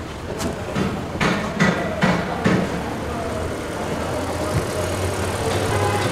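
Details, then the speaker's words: 2020 GAC GN8 that barely runs: uneven thumps about every half second over a shaky, shuddering idle that then settles. Engine dies when cylinder 1 is disconnected; misfire. "Tingnan niyo Oh ba-i brate ang makina o maya-maya bigla na lang ano aano na lang siya manginginig na lang siya ng husto"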